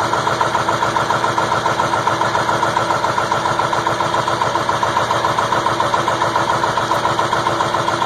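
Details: 2002 Ford F350 7.3 Powerstroke diesel, cold start at about 34°F, running after an 8.5-minute hard crank with white smoke. Hard, regular clatter about three to four beats a second; rough cold idle, cause unknown.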